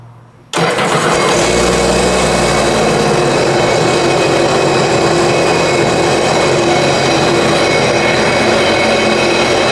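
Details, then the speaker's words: Flooded 2019 Sea-Doo jet ski engine reinstalled after hull repair, first start, oil added through plug holes: catches within a second, settles into steady even run with no knocking or tapping; normal running after start. "cranks it's running looks good to me I didn't hear any knocking or anything"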